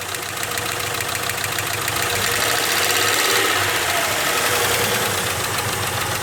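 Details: Jeep engine near idle: a fast, fairly regular ticking knock, about three per second, over a steady run; source unclear.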